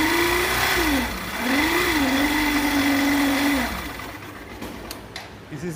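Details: Hero bike, magneto/stator side: a steady humming tone rises and falls with the revs; a faulty stator coil winding, not the timing chain as riders often think.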